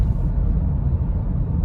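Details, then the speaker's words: 2010 Honda Odyssey at about 110,000 miles, after two tanks with Liqui Moly fuel system cleaner for rough idle and hesitation, driving at steady rpm: deep, even road rumble with no surging, stumbling or shudder. Engine pulling smoothly, no power loss. "लेकिन अब जब मैं इसे चला रहा हूं तो कोई कमी नहीं है, वाहन से कोई बिजली गायब नहीं है"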